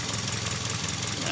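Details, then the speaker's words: Toyota Vios petrol, hard starting after sitting long: rough, uneven idle with a knocky stumble; misfire confirmed as caused by faulty injectors, replacing the set advised. "problema injector mga ka- idol ito injector may problema confirm"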